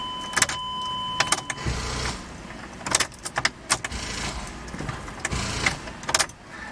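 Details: 2005 Chrysler Pacifica 3.5L V6 AWD, transmission in neutral, after starter replacement: only scattered sharp clicks with each key turn and no cranking; engine locked by a seized alternator.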